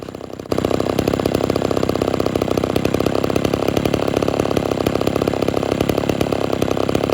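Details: Homelite Super XL chainsaw, tuned a little rich with exhaust smoke and not yet cutting wood: catches and settles into a steady, buzzy constant-speed run with no surging or bogging; normal running.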